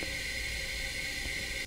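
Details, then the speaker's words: Yamaha YZ250F dirt bike engine during leak-down test at TDC compression stroke, 100 psi applied, freshly rebuilt with new rings and valves adjusted, hose at crankcase: steady airy hiss of normal blow-by past the piston rings. "there is of course some air coming through the rings that's the reason why we hear that facing noise"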